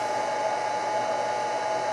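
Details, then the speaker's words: G0602 mill CNC conversion, enclosure cabinet: VFD switched on, loudest part of the machine, takes a second to load up; steady even whir with thin constant high tone, no rattle or wobble; drive cooling fan running normally. "now I'm going to turn on the vfd this is by far the loudest part of the machine and it takes a second to load up"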